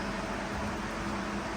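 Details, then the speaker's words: G-body Monte Carlo SS with newly installed Derale electric fans and a 3-core Champion radiator. After rewiring, the old fusible inline fuse was replaced by a straight power wire. Both fans run with a steady, even rush of air and faint hum, no rattles: working normally. "And you can hear, it tells you that both fans are on. And you can hear both fans. So, mission accomplished."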